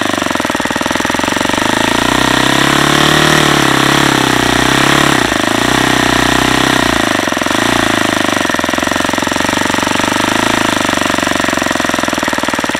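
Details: Saito FA-150S early version model four-stroke on 10% nitro fuel, Xoar 17x8 prop, Saito P2 plug, needle set far too lean: loud, harsh, rough hammering rattle over screaming engine; lean detonation.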